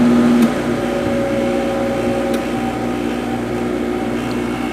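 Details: First Sharp 8500 BTU window air conditioner test run after installation: steady, even hum with constant motor tone and soft fan rush, no rattles or surges; normal running.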